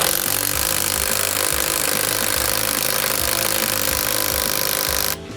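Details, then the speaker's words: Cheap 1-star Amazon impact wrench (box claims 350, reviews say 260) with lug extender on truck lug nuts torqued around 100-150: rapid constant hammering rattle that never changes; the nut won't break loose at all. "we're literally trying to break something we know is in the low 100s it got to be under 150 right doing absolutely nothing not moving at all"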